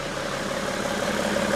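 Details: 2012 BMW X5 3.0 diesel AWD after a cheap EGR cooler repair, buttoned up: short stretch of steady diesel clatter at idle, even and unbroken with no stumble or knock; sounds healthy.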